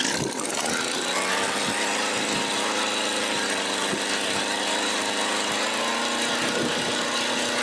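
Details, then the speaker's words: Mac GHT 17 hedge trimmer (17-inch bar) two-stroke, just after new fuel lines and carburetor rebuild, first start after priming and choke, warming up: steady even high-pitched buzz, no surging or misses; idles cleanly. "And we got an idle. All right, I'm going to let it warm up a little bit longer and then I'll bring it in, put the rest of the stuff on, get the chain lube, and restart."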